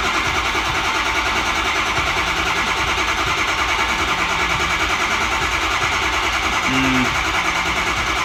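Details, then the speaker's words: 2006 Ford F350 6.0 Power Stroke diesel, crank no start: steady starter churn, never catches; only 51 psi built, no ICP despite sync. "2006 F350 6-liter Power Stroke diesel. Customer complains of a crank, no start. Let's verify."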